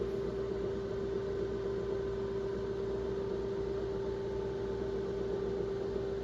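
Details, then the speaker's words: IBM XT hard drive after format, booting from floppy: loud, rough, constant drone with strong mid-pitched tone, no speed change; drive sounds wrong at startup, cause unclear. "That really doesn't sound good. Oh man. That'd kill me."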